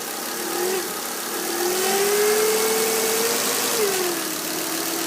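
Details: Volvo V50 T5 engine at idle; a mid-pitched whine drifts up and settles back over a few seconds, source not pinned down.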